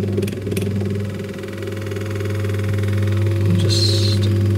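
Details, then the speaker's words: Berkeley & Young Ellipso orbital fan after gearbox rebuild and lubrication, test run without cage or blade counterweight; steady low motor hum with faint gearbox ticking, no grinding; seems alright, normal running. "an oiler. Right. That seems alright."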